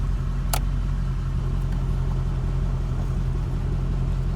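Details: 1988 Chevrolet Corvette after replacing a stuck fail-safe thermostat, testing at idle: low steady rumble, no knocks or ticking apart from one brief click; healthy.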